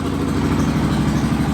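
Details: Honda 420 single-cylinder on first startup after a top-end rebuild to fix piston slap: a steady, even, smooth low idle thrum with no slapping or knocking; the noise is gone.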